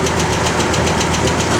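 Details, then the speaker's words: 1972 Oldsmobile 442, matching-numbers 350 Rocket V8, Muncie 4-speed, factory exhaust manifolds, dual exhaust: loud, steady idle with a fast, regular light tick; a suspected exhaust leak on one side, with manifold replacement planned. "you hear that little exhaust we got in this side we will have that taken care of"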